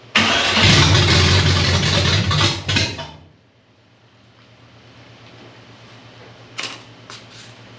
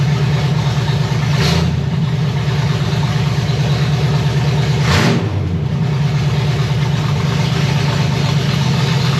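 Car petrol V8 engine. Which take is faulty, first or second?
first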